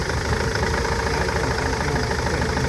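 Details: Nissan Interstar / Renault Master diesel at idle: rough, uneven idle with lumpy low beat and dropped pulses; persistent misfire remains after injectors, fuel pipes and injector wiring loom were replaced, cause not found.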